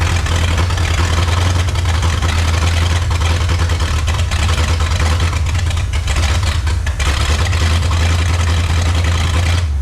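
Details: 1954 Chrysler New Yorker 331 Hemi V8, first run after 50+ years in a salvage yard: deep, throbbing, uneven lumpy idle with no knock while pouring fuel from the carburetor; running rough, tune-up and carb rebuild needed, sticking float suspected.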